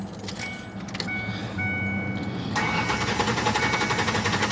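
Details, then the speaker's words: 2001 Ford Ranger 3.0 after replacing a blown 25 amp fuse that caused a no crank no start: short crank, a stumble, catches on the second try due to an owner-described intake issue, then even idle; normal start. "there we go i have kind of like an intake issue so that's why i have to start it twice"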